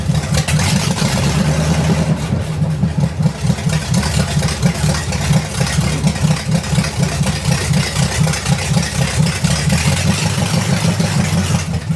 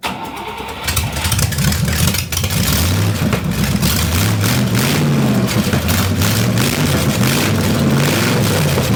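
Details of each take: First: Buick Nailhead V8 vintage rail dragster after a carburetor change: loud, lumpy V8 with an uneven beat that stays up and won't settle back off throttle; sticking throttle, needs a heavier return spring. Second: Buick Nailhead V8 vintage rail dragster after carburettor change, front two barrels only: fires after a brief crank, then a loud, lumpy but steady idle through open headers; running properly.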